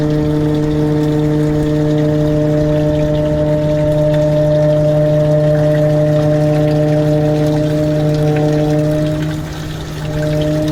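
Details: Evaporative (swamp) cooler running with a very loud, steady droning hum of several strong even tones and vibration, dipping briefly near the end; the noise sometimes begins after startup or is always present, unlike a bad bearing; cause not evident.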